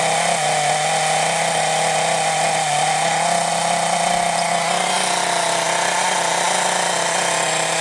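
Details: Scrap Thunder Tiger .28 Pro nitro RC engine, no clutch or bell, only flywheel, unloaded: high, slightly thin and strained scream; owner thinks it sounds a little lean and turns the main needle out to richen a tad.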